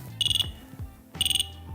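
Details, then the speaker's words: Dräger BG ProAir closed-circuit breathing apparatus during a positive-pressure leak test (at least 10 mbar): the device read the pressure change as breathing and gave its no-oxygen warning. Shrill beeps in bursts of about five repeat once a second and quiet down after 10 seconds. "the big pro air now identified my change of pressure as a breathing and gave me the no oxygen warning that will actually quiet down again after 10 seconds"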